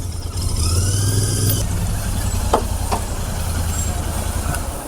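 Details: Royal Enfield Interceptor 650 at about 5,000 km, just after its service and wash: idles with a lumpy, uneven beat and occasional stumbles, a misfire blamed on water getting to the spark plug during the wash.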